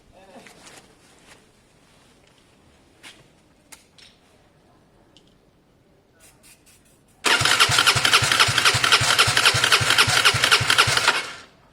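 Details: Gilera DNA 125 scooter, airbox off, brake cleaner and WD-40 sprayed through the carb: about four seconds of fast even cranking, no firing; it started easily when collected, so owner suspects the engine itself has gone bad.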